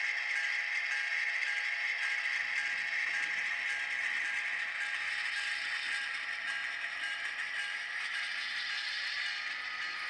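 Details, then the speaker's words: Broadway Limited Imports N-scale SW7 locomotive during its startup sequence after the standard break-in period; harsh, uneven grinding rasp under the startup sounds, coming from the locomotive's drive, not the sound effects; gear grinding. "Except you probably noticed that awful grinding sound that you heard that was not part of the sound effects, but was actually the locomotive itself."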